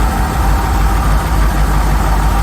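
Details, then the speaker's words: Rolls-Royce Silver Shadow V8 idle just after replacing spark plugs: deep even rumble, faint unevenness; previously running on fewer than 8 cylinders, still shaking, which is not normal, but much better. "still shaking which is not normal but I think it's it's it's much better than before"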